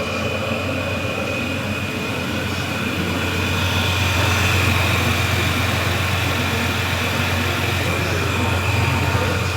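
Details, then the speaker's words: Toyota N70 Hilux just fitted with Raptor supercharger kit, idling while warming up on the factory base tune before retuning for new fuel pump: steady idle with constant high thin supercharger whine, normal. "yep so here it is super goes on running I'm just warming it up"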